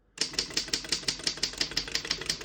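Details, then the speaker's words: 1934 Underwood No. 6 desktop typewriter: crisp, even key strikes about six per second with no skips or sticking; typing normally. "you can see, all the keys type nice and none of them skip or stick."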